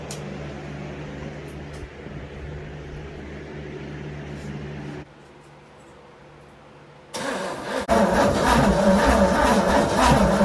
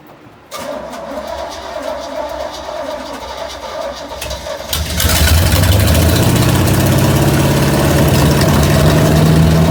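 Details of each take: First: 1969 Pontiac GTO 400, 3-speed, first start after sitting since 1978, with new distributor cap and old plugs: quiet cranking, then the V8 catches and roars briefly but stalls, starving for steady fuel. The carburetor needs rebuilding. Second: 1969 Pontiac GTO 400 with a 3-speed, sitting since 1978, first start in about 40 years with the carburetor still needing a rebuild: cranks a few seconds, then catches into a steady, strong idle that climbs slightly. Normal start and idle.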